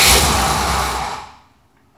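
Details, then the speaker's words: 1966 car, runs well and starts right up: a harsh whirring rush that dies away over about a second after the key is released; the starter is dry. "starter's dry."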